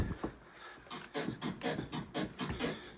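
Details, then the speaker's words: Ford Focus that failed its test on scored discs and pads: repeated hollow clunks, several a second, as the body is bounced, from the worn driver-side rear shock absorber knocking; the shock needs replacing. "we've got to change that shock. So that's what we've got to do."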